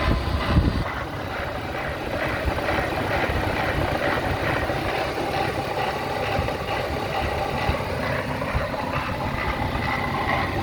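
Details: BMW E36 M52B25 engine: an uneven, lumpy rough idle with a wavering low rumble and no steady beat, from the front of the engine; the owner suspects VANOS or the idler/tensioner, cause unconfirmed.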